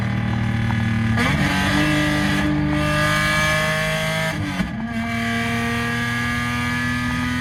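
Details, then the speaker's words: Lexus SC300 with a broken exhaust: loud, raw, raspy drone rising through the gears with two shifts and no muffling. Straight-pipe exhaust. "So I'm definitely gonna have to do one piece by one, and yeah, but I guess enjoy this straight pipe pull for now, because it does sound fun. I wouldn't say good, but fun."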